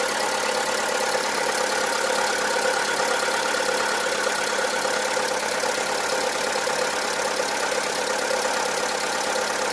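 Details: VW Polo 1.4 16V (BUD engine), with regular maintenance, began knocking and grew louder over time: a faint, irregular diesel-like knock at idle. Lifter cleaner, new lifters and XADO additive didn't help; the finding is piston slap.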